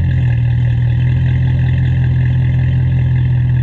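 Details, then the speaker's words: BMW E39 540i 4.4 V8 idling after an intake manifold upgrade using newer-style manifold parts and a spacer plate. Deep, even rumble at a steady idle with no knocks or misses; it seems noticeably louder since the swap, especially in the mid-range. "I've noticed it seems like it's quite a bit louder, especially like in the mid-range."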